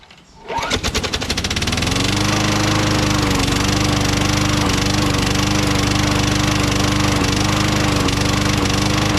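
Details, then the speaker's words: Craftsman mower with Tecumseh Vector 6.75 engine: it fires up and runs with a hard, regular knock of about 3.5 per second from inside the engine, knocking constantly after Seafoam was added; spark plug correct and gapped, cause unknown. "will admit, that's a pretty good knock in there, you know? Definitely can't sell this mower the way it is, you know?"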